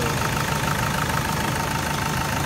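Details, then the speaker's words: 2008 SsangYong Actyon, sat for four years, idling after replacing the worn tensioner screw; steady, even idle with smooth low hum, previous engine clacking/clicking gone. "here it is together no more clicking sound [Music] no more weird clicking sound"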